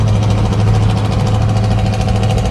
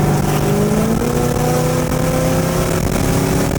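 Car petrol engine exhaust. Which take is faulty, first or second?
first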